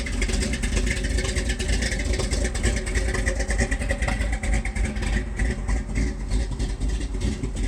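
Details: 1978 Ford F-150 4x4, 351M/400 V8 with a new Holley 4160 (electric choke), Edelbrock Performer intake, Hedman headers, Flowmaster duals, C6 automatic: a lumpy, loping, rich cold-start idle that smooths out when warm. The choke was releasing too late; the fix was adjusting it to release sooner.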